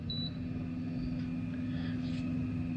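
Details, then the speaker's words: Minn Kota electric trolling motor after 10-minute service and tune-up, at moderate speed sweet spot: smooth, even mid-pitched hum with no knocks or rattles; running cleanly. "this sweet spot seems to be right about there that's where it's running quite well I'll dial it up a little bit more just to double check"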